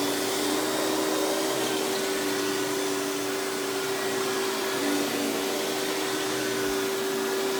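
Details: Hoover PowerMax Supreme 850 S3609 canister vacuum, 1990s, non-original hose, on high speed with power brush: smooth, even high-pitched motor whine with steady airflow rush, no knocks or surging; runs very smooth, not the quietest; normal running.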